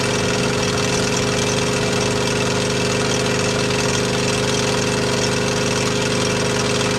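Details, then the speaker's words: T80 reciprocating air compressor running loaded: steady high-pitched squeak and busy rattle from the worn pump, still producing air and popping off; disassembled for repair. "you can hear the squeaking in the background that's that's the compressor doing"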